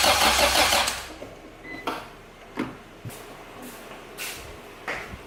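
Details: Acura Integra crank-no-start: starter churns about a second and the engine never fires; fuel pump primes, but test light shows no spark at the plugs or ignition coil.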